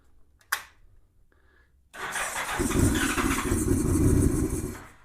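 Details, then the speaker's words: 1987 Honda GL1200 Goldwing, first start in years, cold, given a little throttle. Silence, then it catches and runs unevenly for about three seconds before fading, smoking slightly. Owner suspects poor fuel supply; the carburetors need removing and cleaning. "Well, it smoked a little bit when it first started. I think it was starting to clear out, but I'm not getting enough fuel supply, I don't think."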